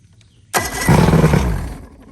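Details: Johnson/Evinrude outboard after new power pack installed, all four cylinders now getting spark, on ear muffs with water hooked up; engine catches abruptly, runs rough a second with uneven firing then dies; heavy carbon buildup expected from long non-running.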